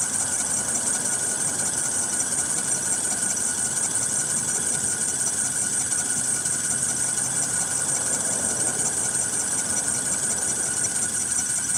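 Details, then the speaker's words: 2013 Ford F-150 3.7L after recent water pump, alternator and belt replacement, now with heater hose coolant leak, idling: constant high-pitched squeal over steady idle, like a belt slipping; owner suspects a pulley going bad, unconfirmed. "Sounds like it could be a dinker pulley going bad with it. I don't know."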